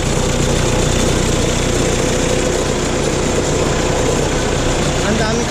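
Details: Hyundai Starex van idling: loose, uneven rattle from engine bay over low running sound.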